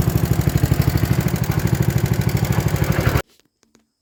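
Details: 1960s Toro Professional 70 reel mower 8 hp single after carb rebuild and fuel system cleaning, fuel on: steady even putter about three beats a second, no stumbles, before cutting off; healthy.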